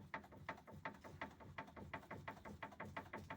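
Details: Ford Focus 2 facelift, automatic, 1.6, steering wheel rocked with short movements; stabilizer link ruled out. Sharp knocks about three a second from the steering rack; steering rack knock.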